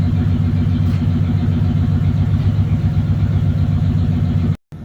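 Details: 1996 Ford F150 parked in a barn, where rodents chewed the injector wires under the air plenum: low, uneven idle with a loping, stumbling beat, running a little off; misfire from the damaged injector wiring, pigtails to be replaced.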